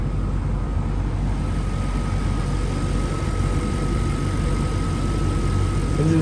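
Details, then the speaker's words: 1997 Jaguar XJ8 V8 at idle: low, even burble with no ticks or knocks, very quiet and smooth, exhaust note barely audible; car fires right up. "nice and quiet runs very smooth car has lots of good power for v8 it's very quiet you can barely even hear the exhaust note out back here"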